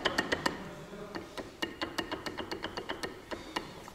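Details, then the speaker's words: Lada Niva transfer case, 26,000 km: dry uneven metallic knocks about three or four a second with little running hum, from play (free movement) in the case; even a new factory-fresh transfer case shows these transmission knocks. "вот слот люфт слышно да я-то вот со заводская исправная раздаточная коробка и вот это все трансмиссионную стуки вот эти все присутствуют вот"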